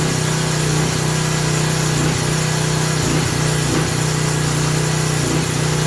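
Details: Craftsman 3000 psi, 2.3 GPM pressure washer, small single-cylinder engine running after carburetor refit; oil had been overfilled to the top of the dipstick: fast steady hum with periodic speed dips, surging at no load, expected to stop under water pressure.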